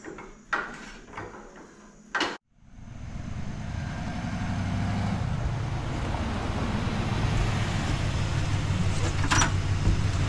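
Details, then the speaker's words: 1994 Cadillac Fleetwood Brougham V8 after repairing a leaking exhaust manifold and drilling out exhaust studs: after a couple of clunks it fires and settles into a smooth, even, much quieter rumble with no ticking or exhaust puffing, normal idle. "hey as you can hear a lot quieter now it's actually running and sounding like it's supposed to"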